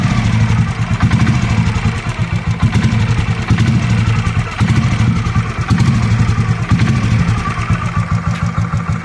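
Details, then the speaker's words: 2007 Royal Enfield Bullet Machismo 500 LB AVL single, 5-speed, stock, freshly serviced; repeated throttle blips every second or two, deep thump clean and even throughout. Healthy engine revving. "okay okay I'm going to rev it a bit so that you can hear how the bike sounds when it's"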